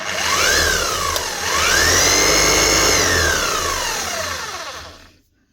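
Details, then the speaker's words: Bosch 240 V demolition hammer: motor spins up with a clean rising whine and coasts down but no hammer beat; no hammer action, gearing sounds a little free, possibly needs a service. "I was going to say it sounds gear up in here. It's not going to be good news. Might just need a service if it's got no hammer."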